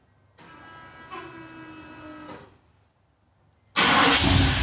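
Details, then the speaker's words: 1987 Chevrolet C10 R10 truck with throttle-body TBI engine, sat a few days, cold start: first crank dies, second catches quickly into a loud, deep, throaty idle; normal start and idle. "Real nice throaty sound to it."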